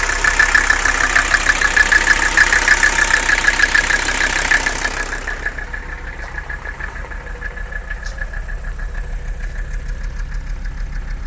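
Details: Mercedes 300CD diesel idling rough with an uneven, lumpy beat around three pulses a second, engine noise, and a loud hiss that fades early; cause unclear.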